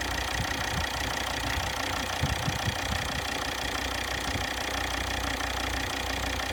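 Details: Volvo XC60 D5 diesel (believed Euro 4) idling, checked by ear with a long screwdriver: a light, quick injector ticking over the steady clatter; a faulty injector is suspected before replacement, though which one is unclear.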